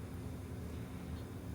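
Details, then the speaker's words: Electrohome portable record player after motor cleaning and drive lubrication: faint, steady low hum with no ticking, scraping or wobble; motor running smoothly and quietly. "the motor is running and everything's good and everything's happening down there"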